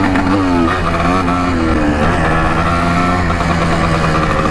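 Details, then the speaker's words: 1984 Yamaha IT200 two-stroke dirt bike, ridden after an earlier air leak was patched with gasket maker: pitch sags and surges instead of pulling cleanly. Rider suspects an air leak or running out of fuel. "wasn't doing this before feels like we're running out of fuel definitely an air leak"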